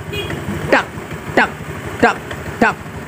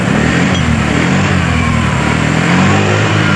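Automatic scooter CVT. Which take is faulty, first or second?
first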